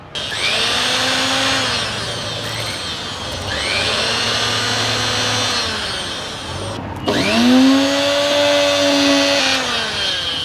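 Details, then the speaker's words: Mixer grinder motor after fitting a new armature, run directly after a series-lamp check: spins up to a clean high whine, coasts down and restarts smoothly with no rubbing or rattle; motor correct and healthy. "So ಇದು short ಆದ್ರೂ ನಿಮಗೆ brightness ತೋರುತ್ತೆ ಅನ್ಸುತ್ತೆ ಇದು ತಿರುಗಿದ್ರೆ correct ಇದೆ ಅಂತ ಅರ್ಥ"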